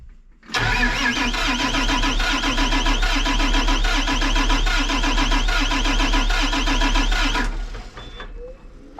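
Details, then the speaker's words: John Deere 8235R tractor diesel with misfire, cold, during relative compression test: starter cranks about four beats a second with uneven beats, some stronger; mechanic suspects low compression though the test reads all cylinders 100%. "Listen to the way that thing's cranking. There is no way in hell that can be correct. You hear that? You hear that uneven crank?"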